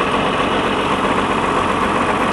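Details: John Deere tractor diesel: steady, even diesel clatter at idle with no misses or surges, a clean, healthy cold-start idle.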